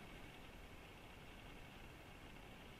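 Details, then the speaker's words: Electric cooling fan on a Mercedes W201 with V12 swap, switched on through a VEMS ECU output test before first start: steady, even rushing whoosh with no knocks; fan running normally. "so if I you can just test the channels so this is my cooling fan"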